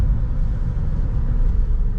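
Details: Ford Connect van recovered after not moving (axle found stripped), test drive to check customer's noise complaint: steady low road rumble at even pace, no knocks, clunks or whine; drives smoothly, normal ride.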